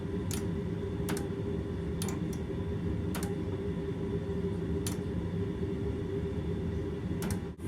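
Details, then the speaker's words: Door interlock double-throw switches on a dead microwave oven, pressed by hand: crisp single clicks a second or so apart over a quiet hum, light comes on and fan twitches. Normal interlock switch clicking. "as I release this you can actually hear the clicking so when I push this in a little bit the light comes on"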